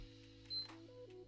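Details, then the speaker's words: PS5 model 126A (beeps but no power), warranty seal intact: single short high beep at the power button press, no fan spin-up, console stays off. "That's the power button. But as you can see the console doesn't turn on."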